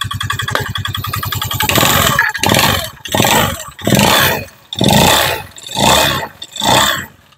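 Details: Honda Beat FI at idle then short blips: a fast, uneven, harsh rattly chatter from the engine. CVT ruled out, and tightening the cam chain made it worse. Worn piston and bore; the piston was replaced.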